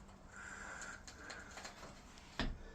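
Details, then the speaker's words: Aluminium door after its closer was serviced (it previously rubbed at the bottom and the top arm was damaged): quiet hiss and faint ticks as it swings, then one soft latching thud; smooth door closing. "all right door's all done there so we shut the door ni smooth"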